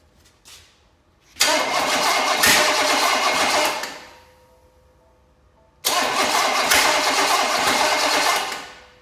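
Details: Small block Chevy of unknown condition, primed with fuel in the carb bowl, choke shut: two bursts of steady starter cranking, a few seconds each, with no catch or firing; seems out of fuel, more added; crank no start.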